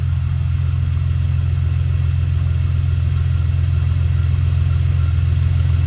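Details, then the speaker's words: 2000 Jeep Cherokee XJ 4.0 after mechanical fan clutch removal for undercooling in winter: steady, even idle with smooth low thrum, no knocks, ticks or squeals; normal idle. "All right. So, as you can see, the whole fan clutch is gone. It's um spinning like it's supposed to."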